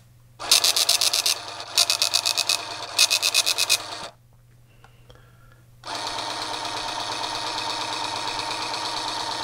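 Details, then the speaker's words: Tandy PC-1 / Sharp PC-1211 printer/cassette interface after refurbishment; quick bursts of fast even ticking line after line, a pause, then steady paper feed. The printer works, though the faint print shows it needs a new ribbon. "and it's actually the print's getting a little more legible as it goes so it's good enough that we can tell that the printer is working okay but it definitely needs a new ribbon"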